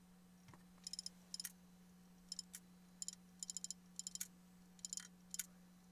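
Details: Failing laptop hard drive, old broken unit, while trying to read files that show "location is not available": irregular bursts of sharp ticks over a faint hum as it retries. Head clicking.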